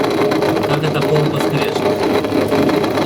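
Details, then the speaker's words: Indesit WS84TX washing machine during rinse/spin drain: steady rough grinding whir over wash noise as the drain pump runs; pump shaft off-centre and loose, pump needs replacing. "Ну и когда начинает вот работать помпа, начинается вот этот скрежет."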